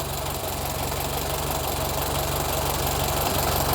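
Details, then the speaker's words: 1925 Ford Model T started after sitting for decades, following plug work and cleaned points: a steady, even idle with the usual light tappety clatter of an old four-cylinder, no misses or stumbles; running well. "Dude, it runs good. - It's running really good."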